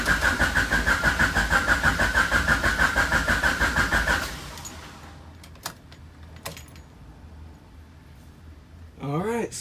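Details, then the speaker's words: Honda Civic with H22 engine, new fuel pump and replaced main relay: starter cranks at an even rapid beat for about four seconds, never catches; pump gets no power. "we got another problem it's not the actual pump because that pump is new so now we get to figure out why why are we not getting power why is our pump not working"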